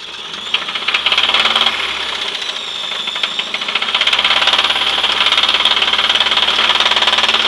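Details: 1996 Chevrolet S10 4x2, 2.2L I4 MPI, 146,300 miles: rapid sharp knock three to four times a second, louder with revs; owner says engine may not be salvageable, cause and remedy unknown.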